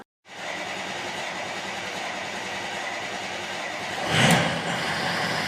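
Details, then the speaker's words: 2005 Ford F250 6.0L Powerstroke, previously a crank-no-start with no codes, starting after the high-pressure oil pump fitting repair: catches almost immediately and holds a steady, even clatter with no stumbling. Normal start. "all right success now may run horrible it may die out uh that's totally normal"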